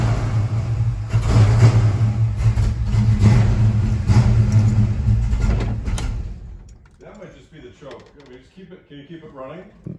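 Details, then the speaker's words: Ford Mustang Mach 1, after fitting a bigger cranking coil: runs unevenly about six seconds, fades and dies. "i tried she doesn't want to run it seems better with this coil but something else is still going on"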